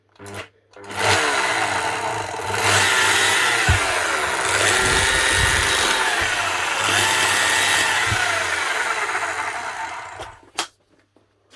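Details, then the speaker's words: Nearly 20-year-old new-old-stock Makita HR5001C rotary hammer, first test run after weeks drying in the workshop: motor spins up rough with a raspy, uneven crackle over the whine; it sounds like brush sparking. "this is not sounding like it's going to be as easy as the last one she's running but it sounds like she's sparking"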